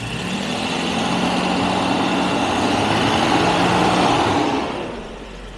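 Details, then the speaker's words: Jaguar XJ12 V12 after a second fix for a misfire that appeared on slow throttle as the plugs loaded up: it revs smoothly and settles cleanly with an even hum and no stumble. Normal running. "it's running beautifully this is how i remember this thing runs this v12 and this car it runs amazing"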